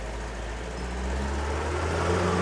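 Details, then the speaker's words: Car engine just rebuilt, now sounding and vibrating smoother; steady, even idle with a smooth low hum and no knocks or rattles; normal idle. "suaranya lebih halus getarannya lebih halus"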